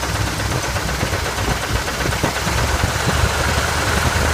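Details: 1979 Chevy K5 Blazer, 350 engine: rough idle with uneven low knock about twice a second under the rumble; owner unsure whether flexplate or engine internals.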